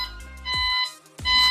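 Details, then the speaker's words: ComfyGo IQ-8000 foldable power wheelchair switched on at the joystick with the battery connected. Two steady high beeps warn that the drive motors are in freewheel mode; flipping both levers up stops the beeping. A freewheel mode warning beep. "The reason it beeps is because it's in this freewheel mode. So I have to flip both of these up."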